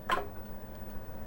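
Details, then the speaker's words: Heathkit H89 computer booting CP/M 2.2 from a newly made floppy via boot 2: one sharp seek click, then the drive's steady hum as it reads; a normal, working disk read. "read that disk. I hear it doing stuff, and there you go. We have a working CP/M 2.2 X03 disk."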